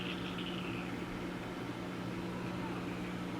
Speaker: Oh, it sounds like the pump's running dry over there. I pumped the pond out because it filled up full of rainwater.